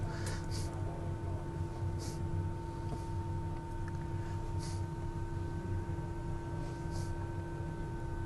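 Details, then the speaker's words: 3/8-scale model of the front row of 7 cylinders of a Bristol Hercules radial engine with offset crank: steady low hum with a few soft, spaced relay clicks; runs quietly and smoothly, normal. "And we're also very pleased with how quiet and smoothly it's running. You can't hear the relays clicking too much."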